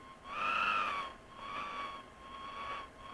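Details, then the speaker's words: Sony ICF-5500M Captain 55 radio on external switch-mode supply at 3 V: wavering whistle near a thousand hertz swelling and fading over hiss; suspected external power supply interference or high-resistance negative feedback capacitor. "still got the whistle though you can hear that also sounds to me like it's a problem with the feedback capacitor thing but it could be as I say the external Supply"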